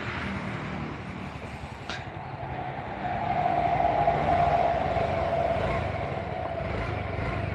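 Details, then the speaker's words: Injected scooter after engine rebuild, previously lacking power and stalling, TPS at too-low 14 with air idle set: quiet, steady idle with faint even injector ticking, no hunting; running properly. "ini udah bisa bunyi stabil itu suara injektor suara mesinnya"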